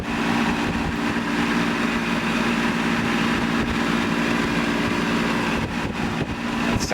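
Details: 1988 Tempstar AC condenser after its seized fan motor was replaced with a new one: a steady low hum over an even fan whoosh with no scraping, rattling or wobble; the unit is running normally.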